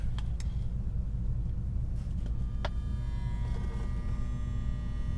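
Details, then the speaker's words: Marantz 2240 receiver on a current limiter with an antenna and speakers connected, at power-up: a low, steady buzz with faint clicks as the protection relay tries but fails to pull in. Suspected causes are a leaky transistor, a shorted capacitor or a bad contact. "that sounded like i heard a buzzing but it sounded almost like the relay trying to come in but not able to come in"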